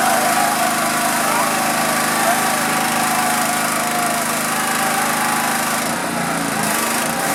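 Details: Honda GX pressure washer engine that sat 10 years, after carb cleaning, fuel tank cleaning, coil re-gap, magnet cleaning and oil changes. A high, steady buzz holding even speed without stumbling or surging; it is running properly.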